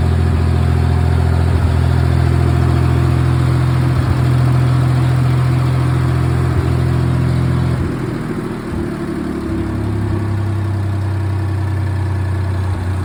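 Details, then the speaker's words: Ford 2000 tractor neglected over a decade, first run after reassembly; idles steadily, dips and stumbles then recovers as the carburetor floods and runs over; carburetor to be pulled. "okay it runs but we have carburetor issues uh it's if I uh start it up and let it go it will flood itself out the carbridge is running over"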